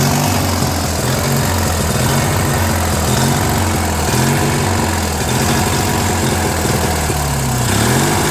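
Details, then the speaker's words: Free Briggs & Stratton 16 hp opposed-twin on a Murray garden tractor, replacement carburetor that lacked a jet, first start on full choke: loud twin chugs with idle rising and falling; idle screw needs adjustment. "You know, this screw here, because every time I held this over here, it ran better, you know. So this was like surging a little bit, so this screw has to be adjusted a little bit more,"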